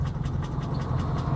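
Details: 2013 Hyundai Elantra GT GLS, 1.8 Nu engine; ticking began at 120,000 km and is now knocking despite frequent oil changes. Quick even ticking, about five a second, over a low engine drone; owner suspects Nu engine failure. Unconfirmed.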